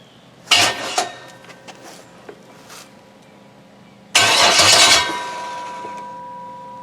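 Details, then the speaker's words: Junkyard 6.0 L Chevy V8 from a 2002 truck on a temporary test harness: two short cranking bursts that never catch; it turns over fine but gets no fuel because the fuel pump is switched off. "Fuel pump might be nice. Got a switch here."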